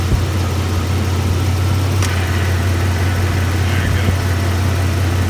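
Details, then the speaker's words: GM Suburban, AC compressor clutch intermittently not working, after adjusting the clutch air gap: steady low engine idle with one sharp click partway through as the AC clutch pulls in and the compressor runs. "I think I'm gonna go ahead and just crank it up and we'll make sure the compressor kicks on"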